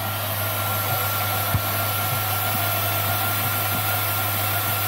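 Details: Jeep Grand Cherokee WJ after radiator replacement and timing cover reseal, hydraulic fan/power steering system and coolant refilled: steady, even idle with low hum and faint pump whine, no knocks or surging; fluid is circulating normally.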